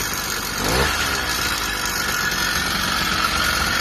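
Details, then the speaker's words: Newly built motorized-bicycle kit two-stroke on a 16:1 break-in fuel mix, first start: steady, raspy note holding even speed after a brief rev; runs fine, though owner says the idle needs adjusting down. "It's so ghetto, but it works. Hell yeah. So my first build ever was a success."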